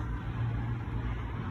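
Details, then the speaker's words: APU diesel engine after starter replacement (previously APU engine fault, would not start despite fuel pump clicking): steady, even low rumble with no misses, knocks or grinding; now starts and runs normally. "I would also test it, because it's a big job, relatively, not too big, but the starter was approximately $100. Got it from Amazon, and now it starts."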